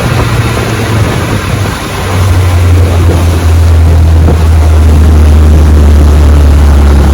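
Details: Fully restored 1958 Johnson 18 HP FD-12 outboard on a 14 ft Feathercraft, lake test at full throttle about 22 mph: steady high-revving buzz over water, even and strong, no misses or knocks; normal full-throttle running.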